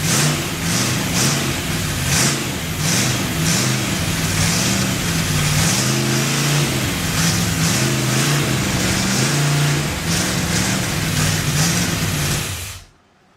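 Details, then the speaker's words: Freshly built Chevy 283 running outside on first start-up: lumpy, hunting idle that surges and dips irregularly. Caused by a big vacuum leak from an unplugged vacuum port; it sounded better with a hand over the carburetor. "that's why when you saw me putting my hand over the carburetor it sounded better it had such a big vacuum leak"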